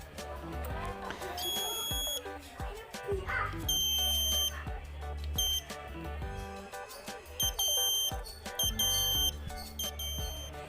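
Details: Washing machine control module, after repairing the open 330k 2W regulator resistor plus the AC-detect and inlet-solenoid SMD transistors that caused a long beep with unresponsive buttons: crisp short high beep groups, no long error tone, responding normally.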